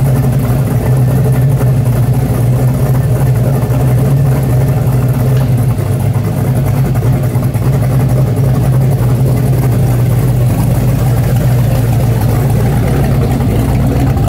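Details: 1970.5 Chevrolet Camaro Z/28, LS6 V8 with FuelTech FT550 EFI, on hub dyno after ignition timing fixed: deep, steady V8 rumble with an even beat, no misses or stumbles; running healthy and smooth.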